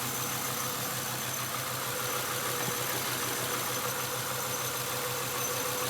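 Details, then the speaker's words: 1996 Acura TL 2.5 L, code P0301: idle lopes unevenly with cylinder 1 dropping out, a misfire from spark shorting at a leaking distributor cap. "all right 96 Acura TL 2.5 liter it's got a misfire number one cylinder there it's number one"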